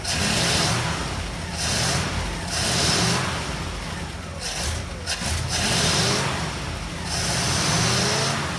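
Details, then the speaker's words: 1960 Pontiac Ventura barn find, rebuilt Tri-Power carburetors, after timing adjustment: surges and sags, never settling to steady idle; owner suspects timing slipped, unsure, and too much fuel. "well it definitely acts like the timing it slipped and tightened down good and tight I mean think there was any way it actually slipped but it sure looking like it"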